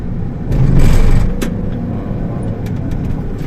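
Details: 2004 Honda Stream after bearing noise found when reversing was addressed by greasing: low steady road rumble with one brief swell, no knocking, grinding or whirring; bearing sounds healthy now, replacement still pending.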